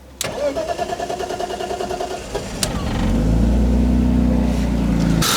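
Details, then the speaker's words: BMW E46 coupe, M54B22, after fixing vacuum leaks and fuel filter: several seconds cranking, catches to steady idle with a light rattle underneath, not a misfire; owner suspects crank and cam sensors. "e rattling is still there it's not like a misfire but it's a Rattle and the symptoms that we got are kind of similar to bad crank sensor and cam sensor"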